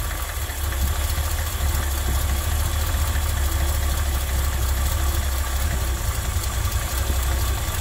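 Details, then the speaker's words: Ford F100 carbureted V8 in Park, 11–12 inches of vacuum, idle screw being lowered while tuning by vacuum gauge: low lumpy idle that dips and stumbles; idle speed set too low, engine also running rich. "you Crank It Up engine goes up go down so it doesn't Direct you go too low you'll hear the engine stumble"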